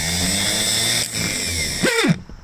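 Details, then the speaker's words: Spare starter for a 1957 Gravely L1 tractor run on the bench: rough gravelly growl under the whine, then winds down; suspected worn front armature-shaft bushing. "could be the bushing in the front here where the gear goes on where the shaft comes out the Armature shaft it could be this uh bushing in here"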